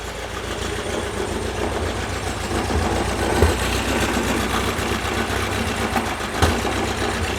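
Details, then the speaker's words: 1978 VW Super Beetle 1776cc air-cooled flat-four during tune-up, base timing set: catches and settles to an uneven, lumpy idle with irregular thumps; rough first start, later idling smoothly at about 1000 rpm. "Didn't sound the healthiest starting."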